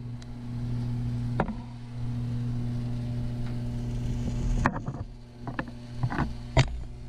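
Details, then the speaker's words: Taco circulator pumps (SS 0013 and SS 006) in a heated driveway snowmelt system, tested before startup. Steady low hum with soft water flow through the heaters, judged normal; owner is unsure about the hum, which changes pitch when the pump is pressed. "see i think a lot of the water movement that i'm hearing is it moving through the heaters which is normal i mean there's a lot of stuff going on in there"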